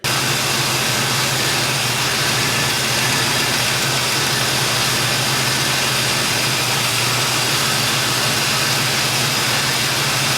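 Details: 1972 Chevy Nova small-block V8 idling after Edelbrock cam, lifters, timing set, Performer intake and carburetor install, cam break-in and valve adjustment that removed a rattle; old cast manifolds still on before headers. Steady, even idle with a smooth low rumble, no rattle or ticking; normal idle.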